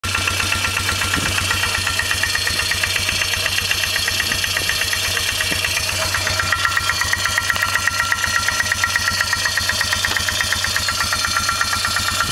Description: 2002 Polaris Magnum 325 4x4 engine knocking.